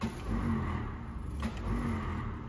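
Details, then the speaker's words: Royal tour limousine sitting unused since 1990, after finding the battery kill switch: low whirring starter spin with no compression pulses; starter runs but engine does not turn, more life than before. "that's the starter going but the but the engine's not turning but it does have a little bit more life than it did before"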